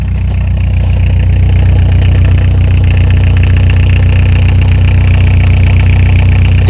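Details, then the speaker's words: 1987 Ford Escort diesel, cold start at about 30°F after repeated glow plug cycling, lots of smoke: steady rapid clatter over even low idle, no irregular knock; normal diesel noise, not knocking. "Now you might be saying, why is this thing knocking so bad? It's not knocking."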